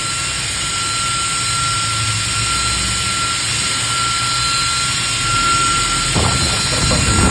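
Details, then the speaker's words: High-speed DC 12V 3.30A brushless ball-bearing fan held by hand at full speed: loud steady rushing roar with a thin constant whine, no wobble or scraping; runs normally, very strong airflow. "Ini kencang sekali. Terbang tuh. Kalau kita tahan seperti ini terbang."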